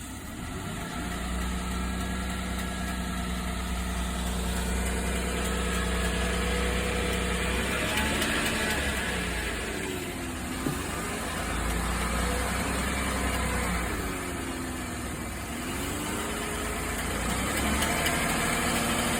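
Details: 2015 Chevrolet Silverado 1500 V8 idling and revved twice: light regular tick speeding up with engine speed; owner reports ticking when accelerating, cause unknown.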